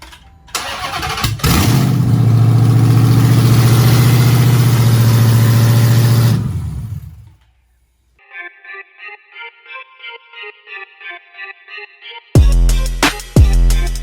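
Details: 2nd gen Hellcat V8 swapped into a Charger, engine with only 7,000 miles, first start after reattaching a loose fuel supply line: brief cranking, then a deep, steady, even rumble with no misfire.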